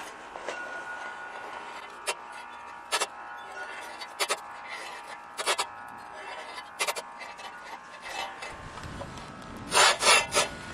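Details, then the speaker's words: TruCut reel mower after chain replacement, grit lapping compound applied to blades: gritty rasping bursts about once a second as the reel sweeps the bottom blade; normal lapping grind. "yeah you can hear it start to grind already from the blades making their rotation"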